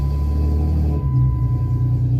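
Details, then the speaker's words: 2011 Jeep Wrangler JK after clutch replacement, previously no-start because a part scraped the crankshaft sensor: brief crank, catches at once and settles into a steady, even low idle; warning lights gone, running fine. "Okay, this is me about to try to test fire it again. Like I said, it was always going, now this is me turning the key. Look at that. Sounds like my old Jeep, fires right up."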